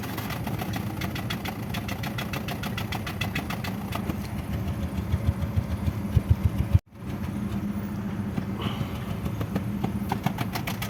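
Idle is lumpy and uneven, with an irregular stumble in the beat about three times a second, the kind of shake a misfire gives.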